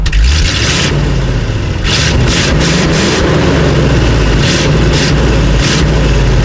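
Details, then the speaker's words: 1968 Ford F600 feed truck started for first time this year after throttle cable set; deep loping steady idle, even firing, no knocks or misses, though its carburetor has a gas leak. "Okay, truck's running. Nothing that sounds better than these old trucks."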